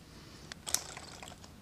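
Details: Gatling Stirling engine with six displacers, after the dirty hot end was disassembled, cleaned and reassembled with its O-rings. Testing one by one by hand gives light crisp clicks at uneven spacing; the displacer snaps freely without binding.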